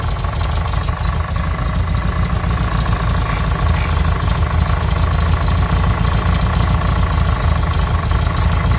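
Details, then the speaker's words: VW Combi with Type 3 engine, warm idle: deep, uneven knock about three a second; removing the cap changes it, and it stops when revved; quiet when cold, knock began once warmed. "si escuchan la diferencia y ya se han de imaginar Qué es a los conocedores aceleramos se reduce acelerando no suena ya"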